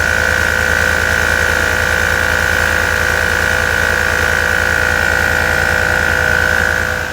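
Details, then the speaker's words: 2015 Chevy Tahoe LT rear air suspension, shocks with brittle cracked rubber not holding pressure: unbroken electric whine and motor hum that never cycles off; compressor runs continuously, risking burnout. "one of the biggest indications that this is going on is when you hear the compressor run over and over and over like this"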